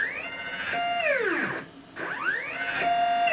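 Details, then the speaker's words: Upgraded Y-axis stepper motor on homemade JGRO CNC router, tuning in Mach3 at velocity 45: whining tones sweep up and down, then drop out and restart; motor slipping and missing steps, 40 is max stable velocity. "and you can tell that it's now again slipping so 45 is too much and 40 seems to move"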